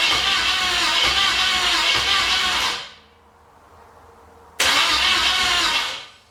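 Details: 1981 Pontiac LeMans, sat for years, carb with choke possibly stuck open, many vacuum leaks, leaking oil pressure sender, timing possibly off: catches and roars about three seconds, dies, refires briefly and fades; starts then stalls.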